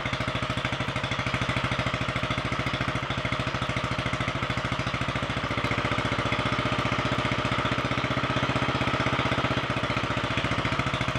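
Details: Royal Enfield 500 single, first start after top-end rebuild with high-compression 9:1 piston, alloy barrel shortened 2 mm, ported head, 32 mm carburettor, enlarged inlet manifold, competition cams, timing set ~35° full advance: crisp, even idle, no knocks or rattles; normal running.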